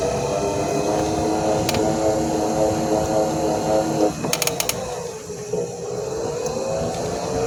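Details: Mobility scooter bought new, grinding after about one month of use: a steady whining hum with a rough gritty edge that dips and recovers as the scooter slows; something in the drive is grinding.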